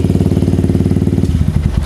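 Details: Yamaha Vixion motorcycle that wasn't charging its battery: crisp, regular idle beat at about twenty pulses a second, even and steady before tailing off; engine sounds healthy.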